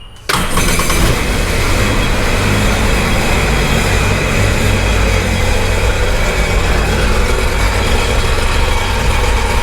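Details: Sea-Doo Sportster Speedster jet boat on a flushing hose, after earlier failing to start: catches right away and settles into a steady even idle with no misses or knocks; now starts fine.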